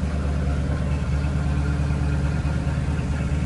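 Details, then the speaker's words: RV engine at idle, oil pressure up, charging, no smoke, choke slow to come off: loud, gruff, slightly uneven low rumble with no clear knock; the noise is blamed on the old muffler, with a new exhaust due to be fitted. "and all that noise is from that only muffler so friday it gets changed out"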